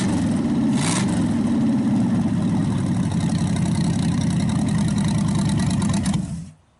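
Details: Packard 374 V8, previously skipping, after draining oil overfilled into the carburettor and intake and refilling: a deep, even idle on all 8 cylinders with no misses, then shut off; still smoking while warming up. Normal running.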